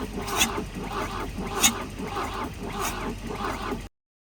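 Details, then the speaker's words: Abandoned 1966 Volvo Amazon 122 estate, first run after sitting, warming up: uneven lumpy idle with a sharp pop about every 1.25 seconds; lean backfire suspected, possibly running out of fuel, not confirmed. "I think it's a lean backfire. Might be running out of gas. Sounds like it."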